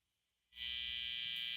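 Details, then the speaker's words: Guitar into amplifier set between 2 and 3, guitar volume turned from 1 to 10 in a noisy house: silence then sudden loud steady buzz changing as guitar moves; 60-cycle mains hum pickup. "Now my amplifier is set to between 2 and 3. And you can hear that glorious 60 cycle hum."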